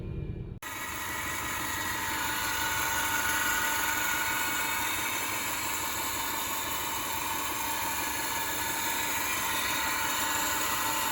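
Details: Subaru EJ 2.5L SOHC engine running: steady high-pitched whine from the front of the engine, loudest when cold, traced to a worn accessory drive idler pulley; belts and idler replaced.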